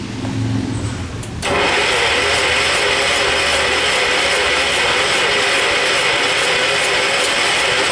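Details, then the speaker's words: John Deere 212, likely a 12 hp Kohler, on a charged battery with starting spray: a steady starter whir that never fires. A clogged carburetor jet is suspected; not confirmed. "Kill the starter. I don't think it'll go. Just needs the right combo."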